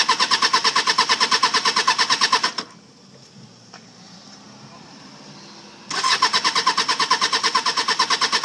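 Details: 1995 Suzuki Katana 600 that ran fine when bought, then wouldn't start after sitting overnight; previous owner blamed the battery: steady cranking at about three compression pulses a second over two tries, never fires.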